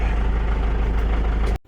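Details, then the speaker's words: 6x6 Land Rover Perentie ambulance diesel idling after being started with a screwdriver, pending a new ignition switch. A deep, even rumble with a steady beat and no knocks or misses before it cuts off; a healthy idle. "Now, beautiful. That will sort us out for now. Okay."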